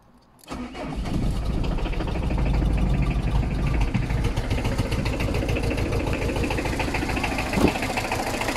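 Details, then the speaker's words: Diesel ZX, one of two project cars: on start-up it clatters at idle with an uneven, shaky beat, smokes heavily, is completely underpowered and barely moves under its own steam; rough running, cause not identified. "as you can tell by me starting that up it's not very happy it's completely underpowered and will barely move under its own steam"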